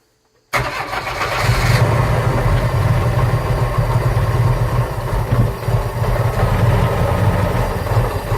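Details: 1985 Bayliner Trophy inboard, out of the water at least 3 years; catches at once and settles into steady even low-pitched run, no misses or knocks; now starts and runs.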